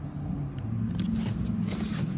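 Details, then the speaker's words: 2014 Ford Taurus Police Interceptor AWD, 3.7 L V6, 97,000 miles, warm after running over an hour, idling with AC blowing cold: low, steady, smooth hum, no knocks or misses; automatic transmission engages; healthy idle. "AC's blowing cold motor sounds good it idles smooth and the automatic transmission engages"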